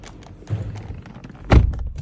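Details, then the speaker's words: KNEWSTAR 001 car door shutting: dull thud trailed by faint crackling creaks from the door handle; the creaking handles were then fixed. "Но, в частности, клиент приехал устранить вот эти вот моменты, когда мы закрываем двери. У нас происходят вот такие хрусты."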